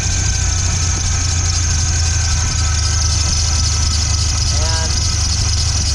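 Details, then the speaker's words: 1997 Ford Ranger at idle: steady high-pitched serpentine belt squeal persisting after new belt and idler pulley; belt tracks side to side off a wobbling tensioner, water on belt quiets it, pointing to tensioner misalignment rather than alternator or bearings. "so I don't know if you could see that but the tensioner pulley was kind of wobbling around or not the pulley itself but the belt was gonna kind of move in side to side"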